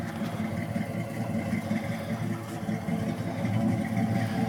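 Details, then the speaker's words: 1980 Pontiac Trans Am V8 with true dual exhaust, original-size 2.25-inch pipes and Flowmaster 40 series mufflers, choke possibly sticking; even lumpy idle with deep steady burble, no knocks or misses, healthy. "the exhaust is true dual exhaust running through 40in original I'm sorry original 40 series flow"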